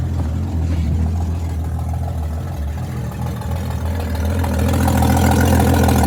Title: ‘61 comet cold start i200 straight six manual choke exhaust leak